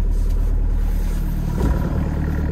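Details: Six-and-a-half-ton digger diesel that stopped three weeks earlier, restarted after a shaft with a flat spot was turned 180 degrees and reset: catches and settles into a steady, even low rumble with no stumbling or knocking; normal start and idle.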